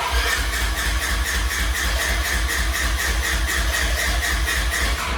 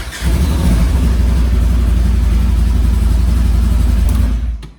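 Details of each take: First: Side-by-side off-road vehicle with the fuel pump relay pulled while demonstrating a kill switch: steady starter cranking at about four even beats a second that never catches; no fuel pump running, crank no start. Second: Side-by-side off-road vehicle after installing a kill switch in the circuit between the PCM and the fuel-pump relay: the engine catches right away, revs cleanly and holds a steady throaty note before cutting off; it starts normally.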